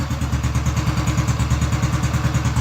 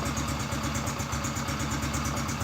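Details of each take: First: Honda Biz C100 single, first start after full engine rebuild, idling low with the ignition cover not yet fitted: quick, even putter with a raspy, loud exhaust note; the exhaust is noisier than it should be. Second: Honda Biz C100 single-cylinder engine just rebuilt, first start, idle set very low: even putter, about seven pulses a second, steady and free of knocks or rattles; normal idle.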